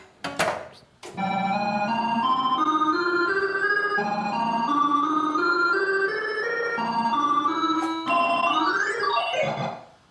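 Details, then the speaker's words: Bally Paragon pinball with repaired AS-2518-50 sound board: rising stepped organ-like bonus count tones; sound works again but the bonus count tune sounds slightly off, not yet compared with a reference. "I think it sounds kind of weird, but um I'll uh I'll play a little bit more and listen to it to hear what it sounds like now"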